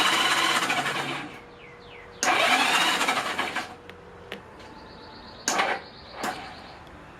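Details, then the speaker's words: 1983 Honda Goldwing GL1100 Aspencade with rebuilt carbs and spark plugs in, spark confirmed on both sides: short strained whirring bursts die without turning the engine over; old starter suspected, replaced. "Here you can hear what it was doing with the spark plugs in. It wouldn't turn over. It maybe did it once or twice. So we decided we needed a new starter."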